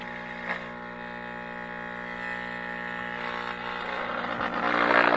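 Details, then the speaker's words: 1960 Zenith X519 tube clock radio, just after a bad 35W4 rectifier tube was replaced: steady low buzzing mains hum comes up as the tubes warm and holds constant, no program sound; main filter capacitor then found shot. "now the tubes are lighting up and we got a hum probably got a bad cap but let's see"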